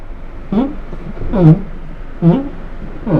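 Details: Datsun redi-GO door, same on all four doors: four drawn-out groaning creaks as the door swings open or shut; dry hinges.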